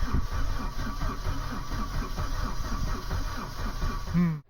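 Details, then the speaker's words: Mk3 Vauxhall Astra 1.6 LS saloon not started since 2009, started with a screwdriver: steady rhythmic cranking that never catches. Owner suspects a lack of fuel. Cranking, no start. "i just sent kenzo a way to get a gallon of petrol for that that i'd asked her because i couldn't get it to fire up there"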